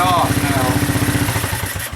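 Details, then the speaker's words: Honda 200SX field find, single-cylinder, started after rewiring at the solenoid connectors: putters at a steady, even firing beat with no misses or mechanical clatter; runs healthy. "look at them apples wow i'm telling you it's really coming along pretty nicely"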